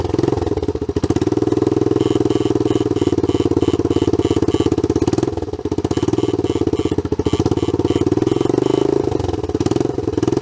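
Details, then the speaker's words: Honda CT110 Trail abandoned in a garden for years, after the carb fuel filter was cleaned and the bowl drained: the single cylinder putters at a rapid, sharp-edged beat with a raspy exhaust chuff over the idle, from an exhaust leak. "hear the exhaust blowing I think we've got some work to do"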